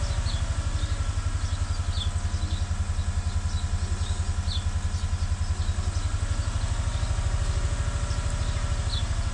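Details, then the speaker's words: 2015 Chevrolet Tahoe V8 idling with a deep, uneven pulsing beat from a cylinder 6 misfire; diagnosed as mechanical, not electrical, with oil found on the cylinder 6 spark plug, possibly an internal oil leak; birds chirp outside. "2015 فيه مسفاير، وللأسف العطل المسفاير اللي فيه ليس كهربائي ولا إلكتروني بل ميكانيكي. اتضح أنه عندنا المشكلة من البنك رقم 6، وصراحة نحتاج إلى فحص ميكانيكي أدق."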